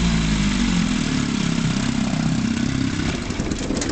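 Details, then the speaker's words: 1957 Evinrude 18HP two-stroke outboard (model 15922, factory electric start), scrapyard find with filed points, good plugs and readjusted carburetor, running on the water: even putter at steady pace, no misses, knocks or rattles; runs fine. "this thing runs fine"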